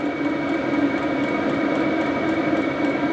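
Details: HCalory diesel air heater installed in a toolbox for overlanding, running in heating mode with heat output, level adjustable: even, steady fan roar with faint constant hum, no surging, popping or knocking; normal running.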